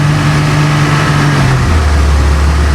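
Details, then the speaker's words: Bayliner cabin cruiser MerCruiser inboard started after months laid up, fuel about 2 years old, weak battery: low lumpy note with sudden pitch drop, engine hunting unevenly just after cold start; owner says it always stalls a couple of times. "yeah always does that loves to stall couple of times and then we'll get this going so the rev counter does kind of work we got a little spit there he is woke him up"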